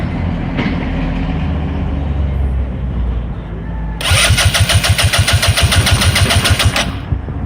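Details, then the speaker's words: 2014 Kymco Super 8 150 GY6 scooter with a new 28mm carburetor, fuel filter, fuel lines and fuel pump, valves set at 0.004/0.005 in. Steady cranking at three to four pulses a second with sharp pops but no start; no fuel reaching the carburetor: crank no start with popping. "you see my Bob's gone the walls popping and there's no gas blow into the carburetor"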